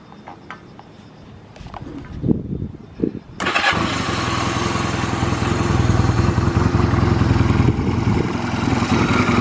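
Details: Honda Rebel 250 MC13, stored bike, start and function check: a few handling clicks, then the single-cylinder engine catches and revs smoothly with no knocks or abnormal noises.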